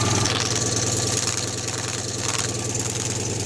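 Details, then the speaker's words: Citroën 2CV air-cooled twin at idle after revival, leak traced by pipe held at the clamp: sharp rhythmic puffing chuff each firing, about three per second; confirmed exhaust blowing at the clamp. "But there's definitely a blow on that clamp. So I was going to see if I can sort that out."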